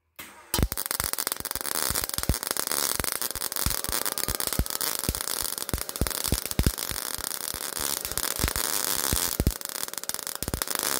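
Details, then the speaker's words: MIG welding thin auto body sheet metal at setting 5 and 40: hissy arc with loud irregular popping as the wire stubs into the base metal, voltage too low, no penetration. "You could hear the popping. You could hear the way the arc sounded and you could see the arc. It It wasn't a smooth arc. It was stubbing into the base metal."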